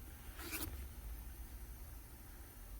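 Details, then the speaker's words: 2013 Nissan Sentra, rear wheel spun by hand, good side compared with the growling side: spins almost silently after a brief swish, no growl or grinding; quiet, normal bearing. "You hear nothing. It's nice and quiet. So there again, quiet."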